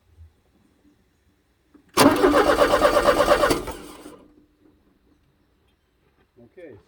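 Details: 1985 Porsche 944 towed in, cranking about a second and a half at near three beats per second without catching; no ignition coil trigger, fuel pump not heard, DME/fuel pump relay or reference signal loss suspected; crank-no-start.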